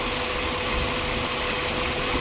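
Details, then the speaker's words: 2007 Ford Explorer XLT at idle after WD-40 applied to the noisy belt tensioner bearing and rotated: steady, even hum with no squeal or chirp; noise gone for now, may return. "i think the noise is gone after putting wd-40 and rotating it for a while"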